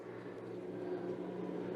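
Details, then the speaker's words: Frigidaire GLRT183TDWE fridge after fitting a new evaporator fan motor (part 240369701): a steady low hum with a soft airy whir and no ticking or scraping; the fan runs normally. "there you go that's what it's supposed to sound like"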